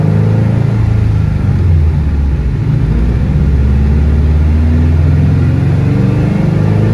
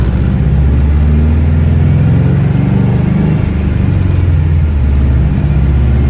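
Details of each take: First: Car on dyno under full-throttle load, logging per-cylinder roughness; heavy rumble stumbling and running rough; misfire traced to cylinder four. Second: Car on dyno at full throttle after new ignition coil fitted on cylinder four; deep even roar with no breaking up or hesitation, misfire fixed; about 323 wheel horsepower and about 300 torque.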